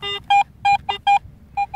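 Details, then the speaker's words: Garrett AT Pro metal detector in pro mode after a factory reset, iron discrimination at zero: short, clean mid-pitch beeps, about seven in two seconds with shifting pitch, giving better pinpointing; normal tone. "type of tone it offers you better pinpointing accuracy"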